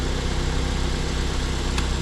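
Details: 2010 Mazda 5 started after sitting about a year, left running to charge the battery; smooth even idle with steady low hum, no misses or knocks, no smoke seen; normal idle.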